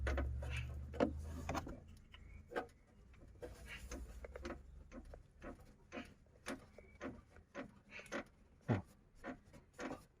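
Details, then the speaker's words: Isuzu Trooper cabin creak that persisted for two years, traced behind the removed wheel-arch liner: irregular dry creaks and ticks as a loose metal body panel with two broken spot welds is flexed by hand. "я вскрыл этот подкрылок снял ну чуть чуть чуть отодрал вот здесь есть вот такая панель металлическая и тут две точки сварки они отрывались"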